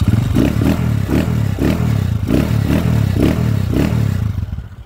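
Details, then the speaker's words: Single-cylinder motorcycle idling after overhaul with a 155 cylinder block fitted: steady, even low thump, quiet, the earlier loud ticking and knocking gone; it had run rough before. "napak silensyo na mga bossing yan wala na yung kuliglig na andar kanina"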